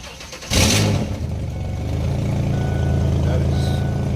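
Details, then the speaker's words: 2003 Ford Explorer after installing a new complete muffler; two holes remain open for the O2 sensors. Starter catches and the engine settles into a steady, deep idle with an even exhaust note and no knocks or rattles. "That noise right there is nothing. It's gonna settle down in a second."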